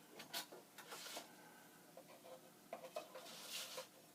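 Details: Basement-found Commodore 1541-II floppy drive powered on with a substitute power supply: soft scattered scraping clicks and short buzzes from the mechanism, no grinding or knocking; healthy power-on sound.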